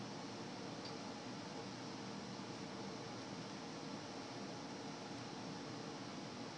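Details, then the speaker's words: Frigidaire gas forced hot air furnace, high limit tripped at 150° during safety checks, inducer still on, then blower comes on: soft, even air rush without rattle or scrape; normal blower running. "so I drop 20° and inducer will come back on and go through its motions actually inducer is still on sorry there we go now the blower just"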